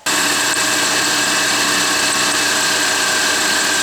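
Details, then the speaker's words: 2005 Mini Cooper John Cooper Works supercharged running with a steady high belt squeal and hiss, plus power loss and a thrown belt; damper and pulley already replaced; the harmonic balancer wobbles side to side, wearing the belt. "see there's a really rapid vibration in the harmonic balancer side to side and that's causing the wear issue"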